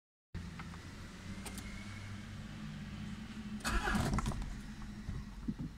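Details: 2001 Peugeot 306 2.0 HDI, no check engine light and no readable codes: starter spins the engine at an even pace, about four turns a second, but it never fires; faulty ECU, fixed by a replacement reprogrammed to the car.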